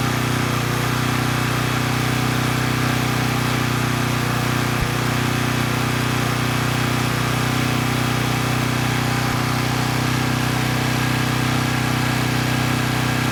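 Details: Coleman Powermate Pulse 1850 generator (June 1996 engine), repaired after running rough, carrying a space heater slightly over 1500 W rating: even, constant drone and steady hum with no hunting or surging, holding 114 V at about 62 Hz; normal running under load.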